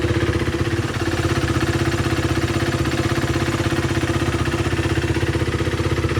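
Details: 2016 KTM Duke 390 after replacing the timing chain tensioner that had caused a knocking noise: a steady, even single-cylinder idle, about four firing beats a second, with no tick or rattle. Normal idle after repair.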